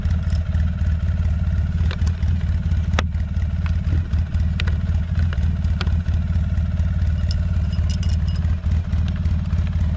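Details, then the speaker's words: 2007 Polaris Sportsman 700 ATV with the original muffler refitted in place of an aftermarket exhaust: low, even idle throb with muted exhaust and no rattles; much quieter, normal idle. "Now, we probably don't need that card on there now though. The programming card. Boy, this is so much quieter. Jeez."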